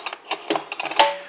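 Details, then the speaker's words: Husqvarna 125BT blower after reassembly, pulled over slowly by hand: string of sharp light ticks each turn with no firing, the flywheel hitting the ignition coil; owner suspects coil screws not tightened. "damn flywheel hitting the coil. It didn't do that before. I might have not tightened the fucking coil bolts or screws."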